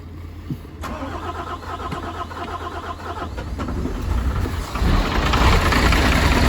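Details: MAN TGM 18.340, D0836 LFL65 diesel, 745,889 km, rebuilt after smoking, misfiring and no compression in cylinder 6: cranks, catches and settles into a steady, even idle with no knocks or misses; oil pressure 6 bar.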